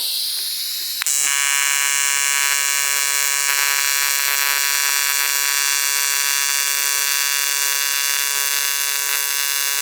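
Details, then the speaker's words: ARCCAPTAIN 200P AC/DC TIG in AC at 140 Hz, 20% balance, raised amperage: steady high buzzing hiss with clean tonal whine, slight jumping felt; smooth steady AC arc, little haze, shiny bead. "Yeah, that's not bad at all."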